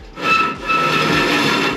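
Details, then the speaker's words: HVAC unit fires and lights, then a harsh continuous scraping rasp surges as the blower comes up to speed; the blower wheel has come loose on its shaft and scrapes the housing. Fix: loosen the set screw and reposition the wheel. "What's happening is the unit will fire, it lit, and then when the blower tries to come on, you can hear it."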